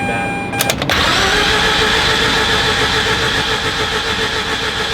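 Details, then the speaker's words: Mazda RX-8 13B rotary, flooded engine on its second day of de-flooding (fuse pulled, cranked); short crank then catches into a rough, hiss-filled run on wet plugs, almost running on its own. "oh my god it almost ran on its own power"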